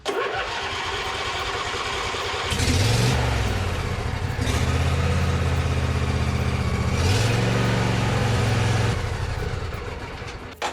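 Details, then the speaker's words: John Deere D140 Briggs and Stratton twin restarted after the exhaust muffler was refitted; cranks, catches and runs steadily with brief rev changes, no stumbling or knocking. Still runs good. "still runs good, so let's take that muffler back off."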